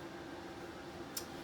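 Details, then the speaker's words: 2019 Connect 312 BHK RV furnace just switched off: burner out, blower keeps running about 45 seconds to a minute for a normal purge cycle, quiet airy whir with faint hum. "When you turn the furnace off, the burner is going to go out right away, but that fan is going to continue to run for about another 45 seconds to a minute."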